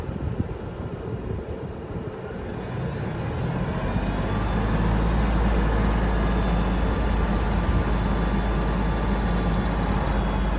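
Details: 2000 Ford F-150 4.2 with a new belt, rebuilt alternator and power steering pump and a different AC clutch: a thin, steady high squeal persists over the running engine without changing pitch; belt-area source still not found.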